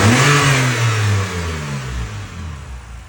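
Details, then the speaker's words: 2011 BMW 328i E90 after replacing cylinder four to six coil packs, including the failed cylinder six: revs blip and fall back cleanly to an even steady hum with no stumble or shake; running smoothly now. "so all right so smoother now as you guys can hear so I guess let's put it back [Music] together"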